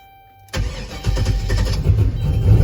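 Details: Turbo 6.0 LS with 4L80E in a Caravan, knock sensors disabled after timing was being pulled: starter catches quickly and engine settles to a deep, fairly even idle, no knocks or misses. Then runs very rich.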